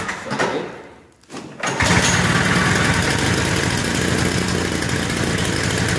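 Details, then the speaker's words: Lawnboy Insight single-stage two-stroke snowblower on 50:1 mix, complaint of RPM bouncing, started cold on choke and prime. Busy two-stroke buzz whose speed wavers slightly up and down: idle speed surging while cold, to be checked once warm. "so we might have been able to hear the rpm surge a little bit we're going to run it a little bit longer and see if we can warm it up and see if that goes away"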